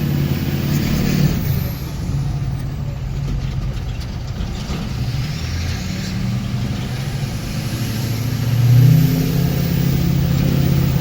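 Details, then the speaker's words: 2006 Ford F350 6.0 diesel on the road after fixing P2262 (broken intake MAP sensor nipple), which had caused zero boost and power loss under load: deep steady drone pulling hard with faint turbo whistle; VGT boost normal, engine smoother. "feels way better turbos right where it should be right now on the V GT turbo pressure looks good the engine actually feels a little bit smooth delt which is nice too"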